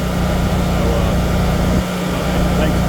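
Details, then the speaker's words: Generac 24 kW propane standby generator at first startup after installation, transferred back to utility power and running a cool-down at low load before shutting off to auto: a constant low, even drone with no knocks or surging, so it is running normally at light load. "Now the generator is under low load and it is in a cool down period. But in a few moments it should shut down and we'll be back into auto and we'll be ready for another power outage."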